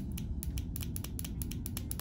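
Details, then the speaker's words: Older-style throttle body fuel injector on the bench, clicked by applying power and ground: sharp, crisp clicks several a second over a low rumble as the valve snaps open and shut; normal injector clicking. "I can feel it clicking inside every time we do that there's a little valve inside that opens and closes to allow fuel to come through that's under pressure and squirt down into the intake manifold to supply fuel to the engine"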